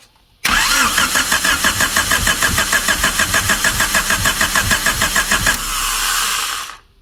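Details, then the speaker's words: 1999 Honda Civic EK hatchback, long-stored, cranked with likely Z6 distributor held by hand: even cranking, trying to catch but not running; owner unsure if timing is too advanced or retarded, firing order uncertain. "I can't tell if I'm too far advanced or too far but Yeah, she wants to she wants to fire."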